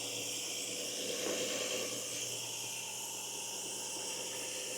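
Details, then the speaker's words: Lean condition with similar O2 sensor voltages on both banks and one code set; loud steady hiss over a quiet idle under the hood, a vacuum leak from a broken hose. "So we need to get under the hood and take a look at what's going on. These are going to be I think it's already open. Okay, I hear a vacuum leak."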